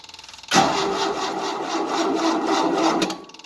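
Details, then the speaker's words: 1988 Tennant 255 Series II sweeper after new fuel line: even starter chugging, a rough burst that never settles to idle, then plain cranking; pump pumped at first then dried up, not delivering fuel. "Can't pump the fuel, I don't think. Yeah, Put the key on. it was pumping fuel at first."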